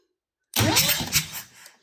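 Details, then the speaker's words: Diesel engine cranking a couple of seconds during compression test: quick, even cranking beats without hesitation; gauge jumped about 90 psi first stroke to 190 psi, roughly 100 psi per jump, indicating good compression. "So, did you see the initial jump? It was right around 90 psi, and now we're sitting at 190 psi. So it built up almost 100 psi with every jump, which is good."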